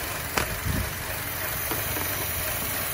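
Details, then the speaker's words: 2014 Chevy Cruze with codes P0171, P1101 and P0106, oil filler cap removed at idle: uneven idle with stray knocks that stabilizes when the opening is covered; internal vacuum leak from a failed PCV valve in the valve cover. "look what happens when I when I hold it the engine stabilizes they go starts to run rough"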